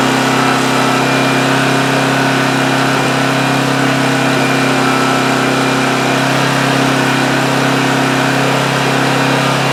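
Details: 2008 Homelite GC1800A 1800 W generator after carburetor pilot jet opened up, about 10 minutes running with choke wide open: steady, even hum at constant pitch, no surging, hunting or misses; normal running.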